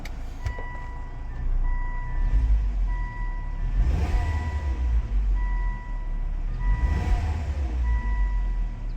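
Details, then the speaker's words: Volvo after fixing a bad turbo that caused heavy smoking, oil line refitted; steady even engine run with two smooth rev swells, no knocking, rattles or whine, no check engine light, possible oil light flicker suspected; normal running. "Sounds good. Making any any noise."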